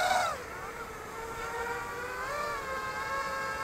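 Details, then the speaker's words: Sky-Hero Anakin quadcopter on maiden flight, DYS 2206 2300Kv motors, DYS XS30 ESCs, 5045x3 props: on throttle punch motor tones sweep sharply up then settle into a multi-tone buzz with an odd rough edge; owner suspects Betaflight settings. "really weird noise um yeah might also be due to the beta flight uh settings I'm running very weird"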